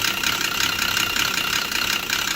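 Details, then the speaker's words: Volvo XC90 sounding like a diesel, scanner shows cam position too high on exhaust: rough clattery ticking idle; timing belt likely jumped at the crank, belt later found badly cracked. "okay so we got the scanner on the old volvo she is smacking away that'll be yeah there we go damn position that's too high exhaust too high yeah so that probably means time and belt has jumped at the crank"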